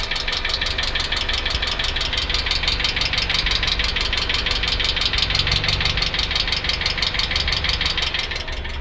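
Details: 2008 Hyundai Accent: an even ticking knock about twice a second rides over a steady idle, a clear rhythmic engine knock whose cause is unknown.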